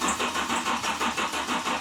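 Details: GMC Typhoon that sat 21 years, first start attempt: even cranking about four turns a second with no catch; fuel pump relay clicks but the pump gets only 4 V briefly, so no fuel pressure; crank no start.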